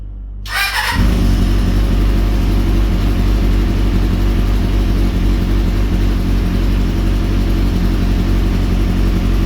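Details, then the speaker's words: Kawasaki ZX400 engine-swapped bike after freeing a stuck-closed float in the second carburettor: strong, even four-cylinder note settling into a smooth steady run, no misfire; all four cylinders firing. "not yes guys all the four misses are working"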